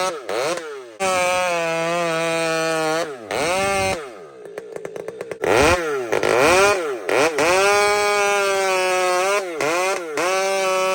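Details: Husqvarna 592XP chainsaw fitted with a pipe, screaming to a steady high pitch and digging straight into the cut, no stumbling, hesitation or blamp (four-stroking) between cuts. Normal cutting under load, clean crisp tune.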